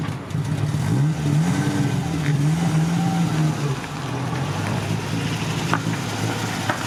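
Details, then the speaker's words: Ford Mk1 Cortina, original 1200 engine, running at last despite a small carburettor diaphragm leak. A few light revs, then a steady running note with no knocks or misses. "there you have it, it runs."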